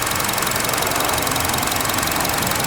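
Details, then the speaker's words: 2012 Chevy Cruze Eco EcoTec, 156,000 miles: a steady idle with a fast, light ticking rattle up top, which the owner thinks is a loose part. "I think that rattling is this."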